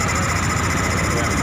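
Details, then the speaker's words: Honda Beat ESP fuel-injected scooter after repairing a CKP-related fault (code 52): steady even buzz with quick regular patter, no misses, idling normally. "hidup Ya alhamdulillah motor hidup ini"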